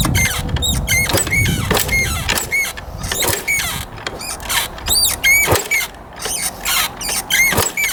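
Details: 1989 Yamaha YZ250 two-stroke dirt bike the seller couldn't start, apparently fitted with a cheap aftermarket carb: repeated kicks spin the engine with a squeaky chirp and dull thumps, but it never catches. Turns over without starting.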